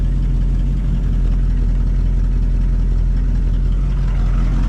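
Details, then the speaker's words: Cadillac 390 V8 with glitter found in the oil, after carb swap from 4GC to Edelbrock: steady, even idle with no knocks or ticks, audible exhaust leak; oil pressure about 20 psi at about 160. "I don't know I don't hear anything concerning that doesn't mean there's not it's got an exhaust Le which you can hear"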